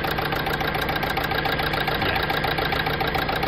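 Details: Renault Scenic 3 1.5 dCi 110bhp Euro 5 diesel idling with a steady clatter and a regular dip, like one cylinder not firing each cycle; unplugging number four injector makes no difference; dead injector on cylinder 4, replacement on order.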